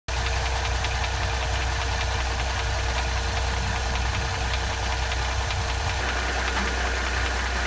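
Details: 2007 Mercedes CLS 350 with M272 engine at idle: light uneven ticking over the hum, about two or three per second; abnormal engine noise, owner asks the cause, unknown.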